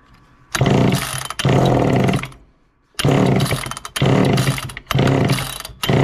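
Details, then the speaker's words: 1969 Homelite EZ Automatic chainsaw first started after 20 years in storage, using starter fluid and with the choke closed: raspy two-stroke buzz in one-second bursts with dips as the throttle is worked; fires and keeps running. "so so well that got off to a good start obviously"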